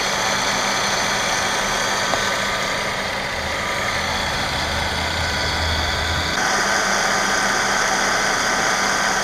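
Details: 2012 Mercedes-Benz E350 BlueEfficiency idling with a steady thin whine from a worn idler pulley bearing; fixed by replacing the idler pulley.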